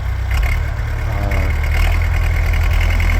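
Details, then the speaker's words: 1974 Bombardier Muskeg tractor, rebuilt diesel engine, plugged in about an hour before start, fired right up; steady low diesel rumble at idle, even regular firing, no stumbling, healthy. "Okay, fired right up. And so completely rebuilt, belongs to the customer. Dad did some engine work there. It's a diesel engine."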